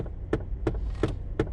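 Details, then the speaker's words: Long-sitting garage-find car running, battery light briefly on: sharp, evenly spaced clicks about three per second as the HVAC blend door actuator keeps hunting. Loud and continuous. "maybe we get a oh that blender actuator needs to stop"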